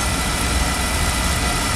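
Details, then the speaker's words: Beckett oil burner on an oil-fired furnace, test-fired after repair following safety lockout (CdS cell suspected): constant low roar with steady fan hiss, no surging or cutting out; ran past the lockout point, normal burner operation. "I think we passed the uh cut off or the lockout portion so we're going to let this run and come back in a few minutes"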